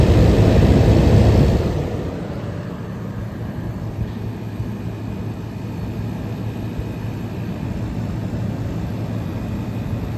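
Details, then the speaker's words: 1977 GE Superthrust air conditioner rescued from an abandoned building, fan stalled to expose the compressor: a loud rush fades into a steady, even low hum with no knocks. Head pressure is building, the suction line is sweating cold, the reading is 105, and it is working very well. "this thing is working very well stall the fan for minute so you can hear the compressor"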